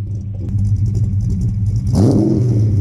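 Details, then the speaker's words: 1988 Ford Mustang Foxbody notchback V8 with under 60k original miles, long-tube headers, off-road mid-pipe and unknown mufflers. Lumpy burble at idle, then a clean quick rev that swells and falls back smoothly, no rattles. Normal exhaust note. "the car is actually surprisingly pretty quiet for something with long tubes and an off-road on it so i guess it's okay maybe the mufflers need to get changed"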